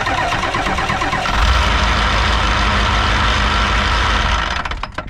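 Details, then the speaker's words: 1988 Ford wrecker with a standard transmission, engine running: a loose, uneven rattle about three times a second that is not PTO-related and fades when the PTO is engaged under load. An input shaft bearing or side shaft is suspected. "so there you have it not PTO related sounds like an input shaft bearing or side shaft"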